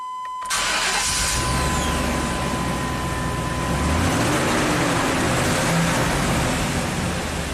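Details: 1998 Chevy K2500 V8 after distributor gear found 180 degrees off was corrected (P1345 fix, no parts): quick crank, catches at once and settles to a smooth even idle, no check engine light returning.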